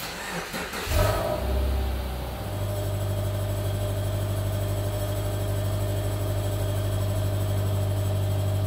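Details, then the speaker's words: 2009 Subaru Forester 2.5L SOHC automatic started after muffler flange repair: cranks and settles to steady idle with faint tinny exhaust heat shield rattle, later traced to a clamp and fixed. "Well, you can hear that exhaust shield rattle. Other than that, I think we're good to go."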